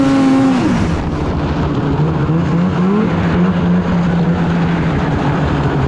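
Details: 2016 Polaris Indy 600 SP two-stroke snowmobile after fuel filter replacement; screams up and holds steady high pitch at full throttle, easily hitting about 8,000 rpm versus earlier 6,500 limit, no bogging; normal full-throttle run.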